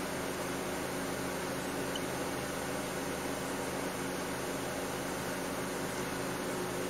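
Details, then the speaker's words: 2008 Mercedes W204 C180 Kompressor, engine running after start: cooling fan now steady and moderate, no longer roaring; A/C refrigerant pressure reads zero bar (owner notes this fits no refrigerant); fault code B10 7A15; normal cooling fan speed. "okay so the refrigerant pressure now is uh is changed to zero bar um and the fan is not running like mad actually"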